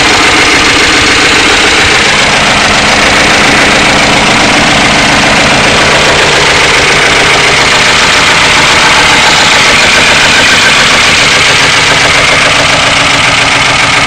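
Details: 1992 Ford Crown Victoria 4.6L at idle: busy fast clatter over a steady idle, roughly three to four beats a second; owner suspects low oil pressure and plans an oil pump replacement, cause unconfirmed.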